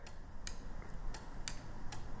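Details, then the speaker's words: 2005 Toyota Matrix 1.8L manual, no crank no start with good battery and starter: starter relay bench test gives sharp clicks, about six in two seconds, but contacts show no continuity, relay faulty. "it's clicking but there's no continuity there"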